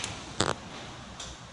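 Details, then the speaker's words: Honda Civic with steering noise when turning, front strut top mount turned by hand giving three short dry clicks; worn strut top bearing. "Né, galera, esse barulhinho que faz, isso aqui é rolamento da torre."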